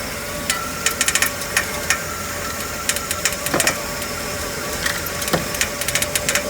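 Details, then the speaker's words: Running vehicle at auction: irregular sharp ticks and uneven beat; engine misfiring a bit, source of the noise unknown. "uh not sure what that noise is but it is misfiring a bit"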